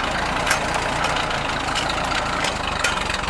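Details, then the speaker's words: Rebuilt Ford tractor just started via ignition and button, auxiliary in standard range, idling without throttle: steady idle, strong, no sputtering, popping or backfiring as before the rebuild. "as you can see without even giving it gas the motor is nice and strong doesn't sputter and backfire like it did in the first videos i took of it"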